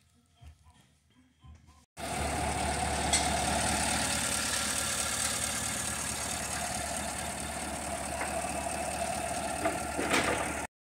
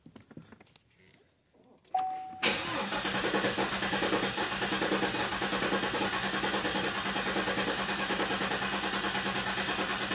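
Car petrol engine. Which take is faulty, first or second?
second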